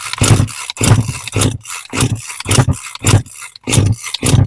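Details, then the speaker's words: Homelite 26cc UT26CSEMC two-stroke string trimmer that sat unused, fresh fuel, half choke: repeated rough pulls each catch briefly with a sputter and die; fuel starvation from the carburetor. "Yeah, it sounds like it wants to, but it's just not going fully."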